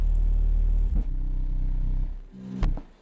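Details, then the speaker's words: Pioneer GM-DX871 amplifier on a dyno test at 1 ohm: heavy bass playback abruptly cuts out twice within a few seconds when the power supply is bumped above a set level; owner unsure whether it is a voltage issue with the RCA output. "And it's when I go above this mark."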